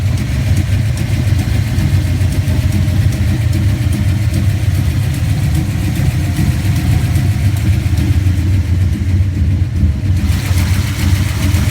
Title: Our '67 mustang street car A small exhaust leak